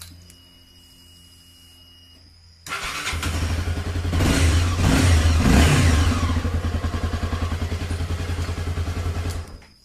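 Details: Honda CB300 single after starter repair, previously cracking and whistling on start hot or cold; starter now catches cleanly, engine settles into an even thump about three and a half per second, then shuts off; normal.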